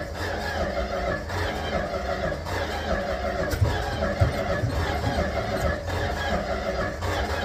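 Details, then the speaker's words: 1967–70 Dodge A108 van, 318 V8, three-on-the-tree manual, with timing issues: the starter spins the engine with steady, even compression pulses even after fuel is poured into the carburettor, but it never fires; cranks without starting, cause unknown. "Of course, it's gonna fight me. Who'd have guessed that one? This thing turns good."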